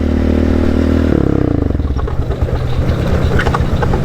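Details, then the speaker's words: Yamaha Raptor quad on trails: steady engine drone breaks into uneven clattering rattle about four times a second when the clutch is pulled in; later traced to a blown rear carrier causing a thrown chain and sheared sprocket teeth. "God, that sounds terrible. Could be my peg. I don't know. Hope it's nothing bad. whenever I pull my clutch in."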